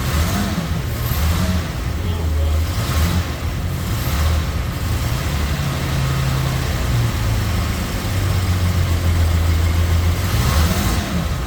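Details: 1971 Jaguar E-Type V12, fuel-injected, first start after a two-year rebuild, throttle body not yet adjusted: low, lumpy idle that wobbles and never settles; cylinder misfire because three injectors were not connected. Ran smooth once they were connected.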